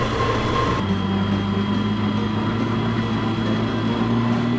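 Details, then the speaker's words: Secondhand gas snow blower converted to two electric motors with a belt drive, pushing through about 60 cm of snow: steady motor drone with a wavering high squeal as it bogs; drive belts slipping under load, larger gear considered. "I could hear the belts slip, so we might have to increase the diameter of that gear. It struggled, but it worked."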